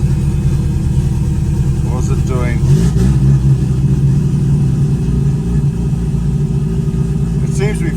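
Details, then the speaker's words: Mazda RX8 Renesis 13B bridgeport rotary turbo on Microtech ECU, after removing low-rpm fuel: steady low burbling idle without stumbling or surging, far smoother than before, little smoke. "That is insanely better. So, that's actually a a ton smoother than what it used to be."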